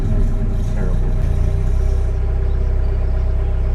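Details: VW Golf 1.6 diesel at low revs on test drive; steady diesel clatter, earlier belt squeal gone, possibly from a not fully charged battery loading the alternator; engine runs evenly, belt quiet.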